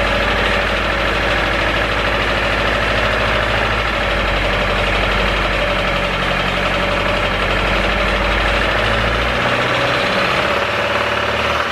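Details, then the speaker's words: A Honda Civic EK with worsening rod knock that stalled after being driven home: rough, uneven idle with a heavy, rapid knock tied to engine speed under loud background noise, then revs sag as it nearly stalls. "the EK as you guys know the motor is knocking pretty bad it actually got worse i'm actually gonna show you guys in just a second"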